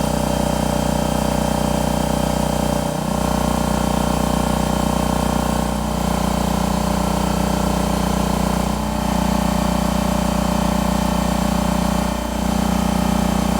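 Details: Husky 33 gallon air compressor (model C331H) after replacing a faulty pressure switch that failed to shut it off: even steady motor-and-pump drone about three beats per second, no knock or squeal, now cutting off properly.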